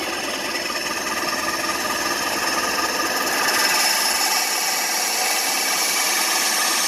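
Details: New bandsaw still being dialed in, cutting along a curved line after relief cuts: even rasping cut that brightens slightly midway, constant speed, no stalling; cutting cleanly.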